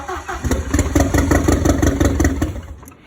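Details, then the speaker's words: Starter churns about three times a second, the engine briefly tries to catch, then fades out; Audi 80 cabriolet with a 1.8T AEB engine conversion, first start after fitting, ECU and wiring loom just connected. Cause suspected, not confirmed. "Right, everything's connected. We've got fuel working. if it will start. Here goes nothing. Oh, almost there."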